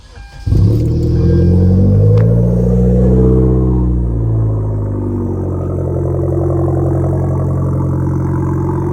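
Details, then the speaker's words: Hyundai Genesis Coupe 2.0T cold start just after installing ISR O2 housing downpipe removing the catalytic converter: catches and settles into a loud, deep, steady idle with raspy exhaust note; much louder, normal cold start idle. "bah it is actually way louder now"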